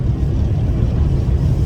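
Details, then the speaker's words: Berlingo HDi turbo diesel on the road after Lucas EGR/turbo cleaner, change up into fourth at 25 mph: a deep steady drone pulls evenly with none of the earlier bucking. Running cleanly. "none of the bucking, none of the upset not even a hint of it"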